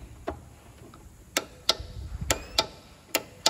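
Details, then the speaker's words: 13-year-old John Deere LT160 lawn tractor: turning the key gives about six sharp dry clicks, roughly one a second, felt inside the solenoid, and the engine never cranks. Solenoid suspected, but the starter motor had failed. "it just clicks and if you put your finger on it when you're turning the key you can actually feel it clicking inside"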